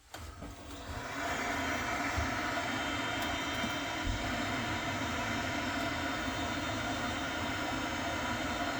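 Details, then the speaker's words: Steady, even rushing whir with faint low hum and no knocking or grinding: the circulating pump on a Worcester-Bosch boiler with intermittent H09 fault is turning freely again as the system is re-pressurized. "I'm just going to pressurize now from some put some pressure and the pump start working let's see what happens"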